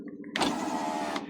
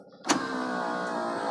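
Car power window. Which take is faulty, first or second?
first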